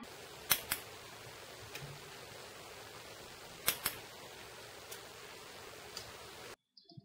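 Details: Bosch VP30 diesel injection pump, the other fuel quantity solenoid bench-tested with a bulb as the load for comparison. Sharp single and paired clicks every second or so, snapping cleanly each time. Normal solenoid clicking.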